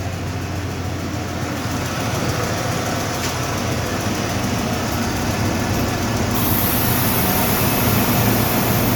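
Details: 1995 Ford F-150 5.0 at steady idle: a light, fairly even tick of about three or four per second, seeming to come from the driver's side of the engine; source unknown.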